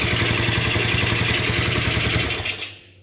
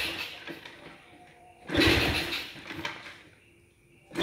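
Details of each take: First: Motorcycle that died after getting wet, test-run after refitting the spark plug, using a used but still normal coil; crisp, rapid, even firing before shutting off, ignition firing properly; the original coil was later found to spark weakly. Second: Motorcycle that stalled after riding through water and won't restart: four cranking bursts of about two seconds, each failing to catch; turns over but won't start, spark plug check next, cause not confirmed.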